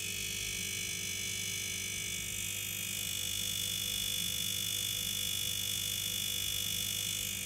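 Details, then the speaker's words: Ariston no-frost refrigerator not cooling: steady low buzz with thin whine from the failed compressor, heard with the fan held stopped. "Onun haricinde gelen şu zırıltılı ses motor bozulduğu için arkadaşlar, buzdolabının duyduğunuz ses kompresör bozulduğu için çıkardığı ses."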